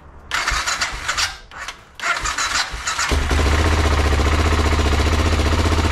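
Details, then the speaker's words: BMW F650 motorcycle with a blown head gasket, head gasket sealer added to the radiator, starting to idle for 10 minutes: a couple of cranking bursts, then the single settles into a steady, slightly lumpy idle of about three beats a second. "this bike has a blown head gasket that's why we went a bit quiet on it"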